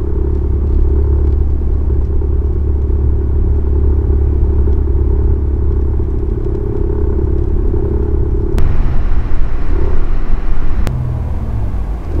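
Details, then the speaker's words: Genesis G80 (new generation), engine shaking earlier fixed by injector replacement: in neutral while revving, heavy low rumble and droning tone changing with revs; also occurs when coasting downhill; abnormal engine noise, dealer has not found the cause. "서있는 상태에서 엔진을 중립이 다 놓고 가서 패달을 밟았다 뛰는 순간 언어 rpm 쪽이나 서쪽의 왔을 때 후라고 소리가 납니다"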